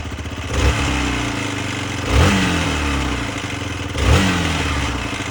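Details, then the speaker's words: Hero XPulse motorcycle after clutch plates and exhaust header gasket were replaced and clutch pressure plate was worked on; engine blipped about every two seconds with metallic rattle over idle and revs; clutch works fine, source unsure, exhaust header or clutch area suspected. "Debriyajla ilgili problem yok ama şakır şakır diye ses geliyor."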